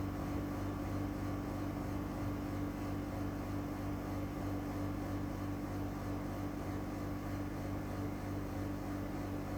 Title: NEW EUROPACE CASEMENT AIRCON EAC701W WITH LOUD NOISE (Recored from 4 m away)